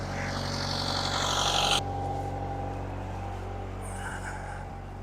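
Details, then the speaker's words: Diesel, unrun for a while, in forward gear at 1500 rpm while warming, oil pressure just over 50, alternator charging: even, steady drone with no knocks or misses in the beat. Normal running at 1500 rpm. "The oil pressure is up to a little bit over 50. I'm running at 1500 RPM, and the water temperature"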